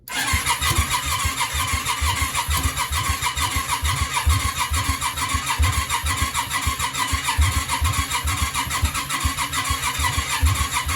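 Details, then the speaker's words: Yamaha Virago 535 after the mixture was readjusted: steady starter cranking at about two beats a second with occasional sputters, but it never fires and runs; something is not right. A fireball followed. "oh sounds like she wants to go something's not something's not quite right leave it with me a second"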